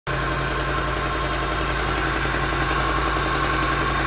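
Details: Land Rover LR4 petrol engine idling with a dry, busy rattle over a steady hum: timing chain rattle.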